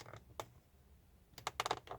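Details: Hyundai Creta interior grab handles: short dry creaks each time a handle is worked in a quiet cabin, plastic joints rubbing; fixable by applying thick silicone into the joints with a toothpick.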